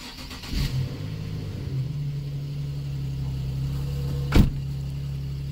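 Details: Nissan 370Z after fuel pump repair and priming: brief crank, catches quickly, settles into steady even low idle; starts and runs fine.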